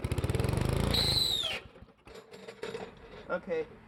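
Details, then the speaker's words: 1973 Briggs & Stratton engine on a vintage Parker Thatch-O-Matic, on two-stroke gas, oil with slight water: fast cranking chuffs with thin high squeal on top; owner suspects a starter bearing needing oil. "i think what's going on there seems to be some sort of bearing or something inside of the starter that is needing oil"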